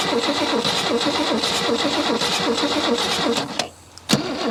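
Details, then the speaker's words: Holden Commodore not run in over 15 years, first start on fuel poured down carburettor neck without air regulation: ragged, uneven firing that stumbles and nearly dies before catching; missing on a cylinder, owner suspects a valve hung open. Engine misfire. "oh she's got a bit of a missing it so I've got 1 5 3 6 2 four sounds like got we got a valve hung open or there's a Miss in [Music] it"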